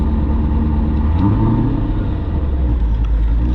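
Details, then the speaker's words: 2002 Chevrolet Corvette C5 Z06, LS6 V8, about 65k miles (unsure), warming up after start: deep even V8 rumble at a steady idle, no knocks, ticks or misses; healthy normal idle. "I'm gonna go ahead and fire it up here because she does sound quite healthy."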